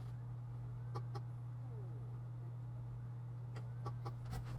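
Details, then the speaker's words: 2007 20-inch iMac (A1207) that won't boot and shows the question-mark folder: sharp, irregular hard drive clicks over a steady hum and optical drive noise, so the failing hard drive is judged done. "okay yeah so i can hear the the optical drive but also i'm hearing the hard drive clicking so i'd say this hard drive is done"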